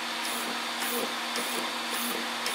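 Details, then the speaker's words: Arrma Senton RC truck after replacing its failed stock steering servo with an Arrma 25-tooth waterproof servo: short, even whirring bursts as it sweeps side to side, no grinding or chatter; steers strongly, working normally. "Steers just like it should. It feels strong."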